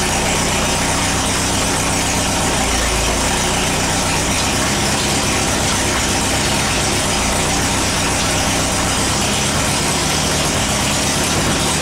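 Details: VW after transmission work: loud steady engine drone with even mechanical chatter, no crunching or grinding; shifts through all four forward gears and reverse.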